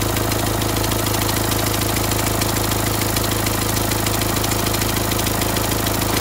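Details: Renault Symbol after a complete engine rebuild, ticking began a month later: steady idle with fast, even light tick; source not found for a long time, later traced to the first suspected spot.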